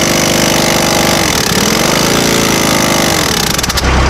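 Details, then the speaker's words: Farm air compressor: loud rough labouring run, then the motor dies almost instantly at switch-off with no coast-down, suggesting heavy resistance in the pump compressor part; cause suspected, not confirmed. "how quick it stops? It sounds like something's going on with the pump."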